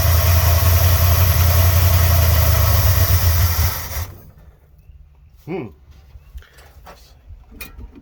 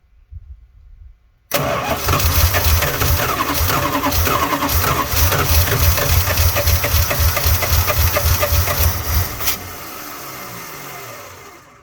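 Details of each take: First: 1986 Dodge Ramcharger V8 after cleaned carburetor installed: deep, even rumble holds steady about four seconds, then cuts out as fuel runs short (owner suspects not enough gas in tank); ran smoothly while it had fuel. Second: 1986 Dodge Ramcharger just after cleaned carburetor install, gas poured in carb and tank: steady starter churn with a few weak catches, then fades out; fuel starvation, fuel not yet pumped from tank to carburetor.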